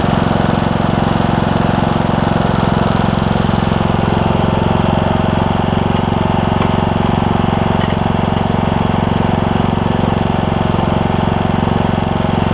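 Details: John Deere E100 mower, 17.5hp Briggs, 80 hours, just after camshaft replacement for hard starting: steady, even single-cylinder drone at part throttle with no knocks, misses or surging; started right up, burning oil off muffler; healthy.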